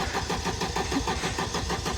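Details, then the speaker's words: Vauxhall Corsa VXR, about 145,000 miles, sat all winter: starter cranks in even chuffing beat of six or seven pulses a second but never fires; coils possibly unplugged, suspected not confirmed. "see always the engine turns over the engine turns over why is it not starting though cuz it's a corser"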